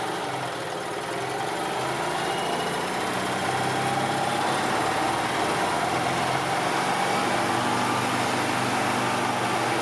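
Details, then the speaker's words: 2002 EZGO TXT gas golf cart idling during a charging-system check, battery good at 12.4 V: small petrol engine at a steady, even idle with no knocks or misses, charging over 14 V but under 16 V, which is normal. "As you can see, it's charging at over 14 volts, but it's not going over 16, so we're good."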